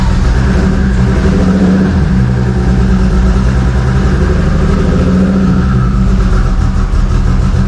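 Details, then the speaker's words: Toyota 2JZ inline-six with a loud, lumpy, ragged beat, needing throttle held to barely idle, rich black exhaust; several cylinders dead, not running on all 6; intake manifold also found warped. "Yeah, no, so you're having to keep the gas in it just to get it to barely idle."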